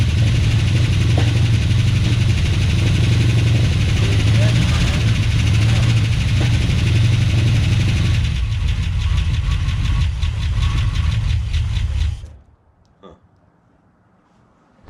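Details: 1970 340 Duster after sitting nine months: steady starter cranking at about four beats a second for twelve seconds, never catching. No start, likely because the fuel tank is dry.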